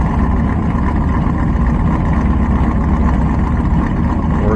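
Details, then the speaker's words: Carbureted truck V8 tuned for winter, warming on choke, mic at exhaust: even exhaust rumble with tone rising as rpm climbs, more exhaust smoke, no stumbling; normal fast idle on choke. "let her sit here for another probably 2 minutes see how the high idle comes up so you can hear it the uh well you can see more exhaust coming out that's minor um but you can actually hear the tone is Raising RPM"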